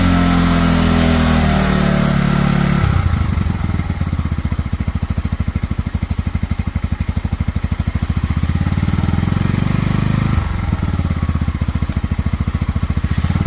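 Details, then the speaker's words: Cheap Pioneer Nevada motorcycle, first start after fitting a new carb and cleaning the rusty tank with vinegar, in rain: catches after a few seconds and settles into an even steady idle with regular firing pulses; runs on its own. "so as you can hear in the background there she is now fully running on her own the new carb with obviously the cleaning of the tank seems to have done the trick"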